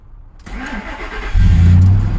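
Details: 2001 Ford Expedition after sanding the loose negative battery terminal to fix a no-crank: short silence, engine catches at once and settles into a steady low rumble; normal start.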